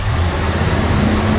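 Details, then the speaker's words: Ford engine at startup after fixing an EGR vacuum leak (code 332): catches and settles into a steady, even run with no stumble; owner suspects throttle position sensor for remaining issues. "startup it wasn't doing that before every time I had I hesitate back down"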